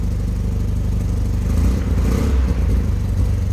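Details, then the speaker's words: 1974 Triumph Spitfire 1500 at idle with a seemingly more aggressive exhaust: deep, throaty low rumble with a slight bark as revs briefly lift. Even running; normal engine, just a louder exhaust. "This one sounds like it may have a little more aggressive exhaust on it. Got a little bit of a bark to it, considering the engine size that you're dealing with."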